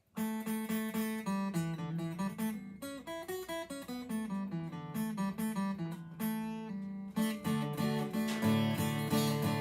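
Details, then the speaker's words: Taylor acoustic guitar fret buzz after switching back from gauge 10 to gauge 11 strings: strummed chords fairly clean, faint buzz remaining on G string; heavier string tension reduced the buzz a little. "That the tension that it has from the 11s is pulling it tighter, and that could be the problem. It did make it go away a little bit."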